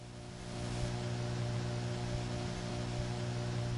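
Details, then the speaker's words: Bell step-by-step telephone office, Raleigh NC, 1979, on second selector before dialing the digit that cuts into the trunk to crossbar 5: steady low hum with buzzy overtone and faint hiss from unbalanced selector power; normal. "is the sound of the unbalanced power that is used on the selectors in this office"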